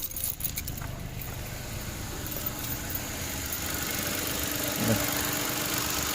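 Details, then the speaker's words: Mitsubishi Mirage that was hard starting and smoky, after replacing a failed spark plug: engine catches after a brief rattle of keys and settles into a smooth, even idle with a steady low hum. Normal running restored. "yan. Normal na yung andar niya. Start na siya."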